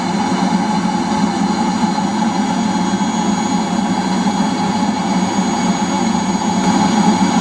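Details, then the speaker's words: Eberspacher D5W 5 kW 12 V water heater fully ignited with the glow plug switched off, running in boost as the water passes 30°: a loud, even burner and fan roar with no surging or popping. Normal running. "okay the GL plug is now Switched Off uh the heater is fully ignited um maybe I to see this temperature we're now to come up to 30° just going over they heat up very quick"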